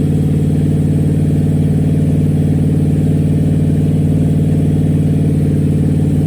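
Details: Rebuilt small-block Chevy V8 on a motor stand during its second break-in, after the top end was removed, lifters pulled and cam inspected: deep, even rumble with a steady beat and no knocks or ticks; the engine runs healthy.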